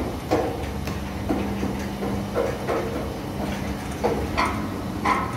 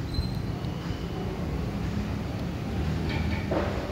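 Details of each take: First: Sliding gate driven by an opener motor (set to manual), wheels after 8 years of use, before replacement: rough rumbling roll with irregular knocks and clunks as the gate travels; worn, dented wheels and plates on the track. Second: Heavy sliding gate after replacing four wheels and their plates: low, even rolling rumble with no grinding or knocking, only a faint rub from the top guide plate, which is due for replacement; runs and stops smoothly.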